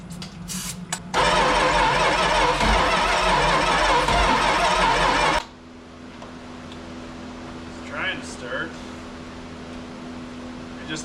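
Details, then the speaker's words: 1973 Dodge Dart 340 V8, sat for years, starting fluid in carburetor: sluggish, uneven crank barely over one turn a second, popping once or twice but never catching; slow cranking blamed on the original positive battery cable to the starter, being replaced. "it seems like we're fighting a couple of issues number one it seems like this thing is cranking really slow so we have uh what looks to be an original equipment positive battery lead right down to the starter"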